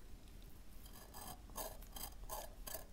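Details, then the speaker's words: Old 1960s–70s air-gap variable tuning capacitor for a crystal radio turned by hand: faint uneven metallic grinding as multiple bent plates touch, with some metal particles between the plates. "hear that grinding yeah multiple plates on this one are touching"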